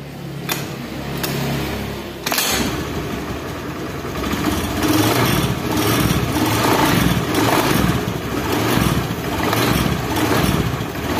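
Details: Honda Beat injection scooter, starting and idling: rough, rhythmic klotok knocking clatter from the CVT case.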